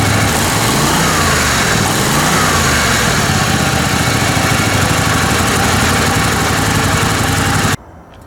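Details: Kohler Command Pro 27 hp V-twin lawn mower right after head gasket repair, before muffler fix: loud even chug at steady speed, no knock or miss, then clean shutoff; running normally, though later died from rusted muffler pieces.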